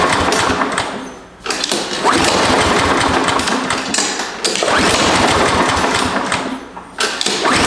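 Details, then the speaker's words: Husqvarna push mower that sat over 4 years, spark plug refitted: several hard pull-cord bursts, engine turns over but won't catch; fairly confident it's a carburetor issue, with fuel to be added directly into the carb intake next. "all right I do not know why it's not wanting to kick off so what I'm going to do instead of pulling the spark plug back out I'm going to take the intake off the boots off and I'm just going to put a little bit more fuel in the carburetor"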